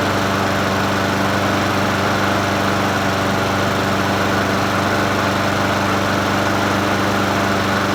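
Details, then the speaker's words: Troy-Bilt self-propelled mower with Honda GCV160 engine, free find, first start after adding fresh gas and opening fuel tap: smooth, even drone at steady speed, no knocking, surging or misfire; normal running. "well as Derek would say I'll be dipped that son of a gun started up no issues and it sounded good not knocking or anything like that"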